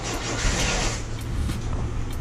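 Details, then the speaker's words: 1974.5 MG MGB with twin SU HIF4 carburetors, started on a weak battery after new floats and needles to cure flooding, with the carbs still leaking; uneven, lumpy, stumbling idle; rough idle, cause unclear. "Alright, so we got the car started. It's idling like crap,"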